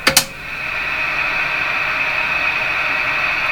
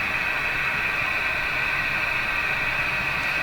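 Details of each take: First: Johnson Messenger CB radio after a capacitor replacement, final test with squelch down. Two switch clicks, then an even hiss with a faint steady tone; the receiver is alive and picking up band noise normally. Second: Johnson Messenger CB radio after a capacitor replacement, on restricted power on channel 5 with squelch all the way down. Steady hiss with a sustained musical tone near 2.5 kHz; the owner says it is interference from his furnace fan.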